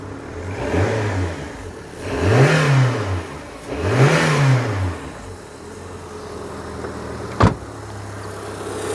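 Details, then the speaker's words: 1997 Rover 200 R3 engine warm after a 10-mile run, head gasket believed done: two clean throttle blips rising and falling smoothly back to a steady idle, no knocks or rattles; healthy. "Listen to that engine purr. I'll give it a blip if you want."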